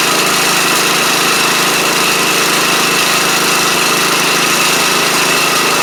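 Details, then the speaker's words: Troy-Bilt Pony rider with replacement used engine and new head gasket, cold start next morning; fast, steady, even run with no misfires; smokes heavily for about the first minute then clears, no longer smokes with blades on; normal cold start idle. "Now, it's just doing it when you initially crank it up. And as y'all saw, it smoked pretty bad for about the first mi"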